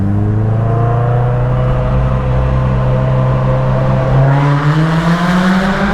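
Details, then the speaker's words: Cammed 1.8L Miata with near-straight exhaust: loud, buzzy, raspy drone climbing with revs; the oversized tip resonates like a trumpet; loud raspy exhaust resonance. "turns out the tip and the back is so big compared to the actual exhaust it actually makes it sound like a trumpet so it enhances the sound and makes it sound like absolute garbage"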